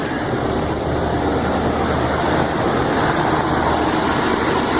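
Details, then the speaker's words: Intellipak rooftop HVAC unit on a blazing hot day after replacing condenser fan motors and two blown condenser motor fuses, heard on the roof: steady, even rushing roar of fans at full speed, no rattles; all running. "So yeah, they're all running. We're all good up here."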